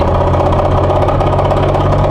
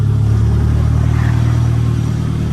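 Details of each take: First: Nissan S15 drift car gearbox after a drift day: steady engine drone with rough gritty whirring and rattle from broken second gear, the third gearbox broken; gearbox later replaced with upgrade. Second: Nissan S15 after gearbox upgrade, running on the lift in first gear: steady, even low engine drone, no knocks or whine; gearbox sounds healthy.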